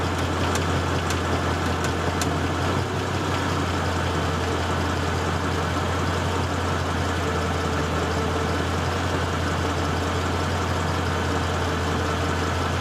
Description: My manual track pack GT, idling in neutral, with emergency brake on, heat on, with compressor kicking in, this noise occurs. Only 6000 miles, never drag raced, never spun the tires ever, always garaged and pampered. Piston wrist pin knock.